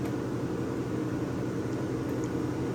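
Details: Vintage Westinghouse 10,000 BTU window A/C; no drain hole, so the fan slings condensate from the base pan; steady even hum and airflow rush, no rattles or surging; normal running.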